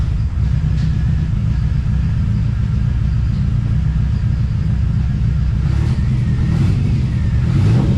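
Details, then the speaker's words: TVR Cerbera with rough running and random misfire: deep uneven rumble that never smooths out or pulls cleanly; owner considers disconnecting one of the two throttle position sensors. "okay well I guess you can see that's not going that great um starting to wonder if I should disconnect one of the throttle throttle position sensors"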